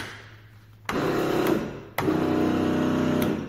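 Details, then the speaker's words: Glass-bottom Sea-Spi boat trolling motor after repair, safety switch and circuit breaker reinstalled: two short runs of steady mid-pitched whir starting cleanly, running normally though forward and reverse were wired backwards. "well that's Louis points it sounds like a jet ski started"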